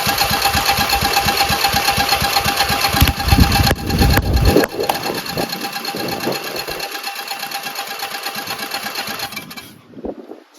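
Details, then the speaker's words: Rebuilt Briggs & Stratton 14 hp single-cylinder Synchro-Balance engine, no muffler: uneven cranking around two beats a second with a few sharp pops, never running. Spark is present; it turns too easily, and low compression or a dead battery is suspected. "it's getting spark otherwise it wouldn't pop. But it's not it's not uh going to engage."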